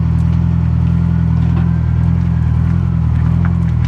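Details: Detroit Silver Series 4-53T turbo diesel at idle after the 1600–2000 rpm drone was fixed with 4-inch resonators adapted into the 5-inch exhaust: deep, steady rumble with no knock or rattle and a very quiet exhaust.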